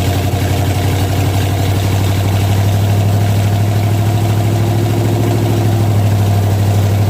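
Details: 1967 wrecked 12-bolt rear end with a rough contact pattern, run at about 50 mph on jack stands: steady deep drone with a rough, gritty hum and faint gear whine, like a freight train; worn ring and pinion.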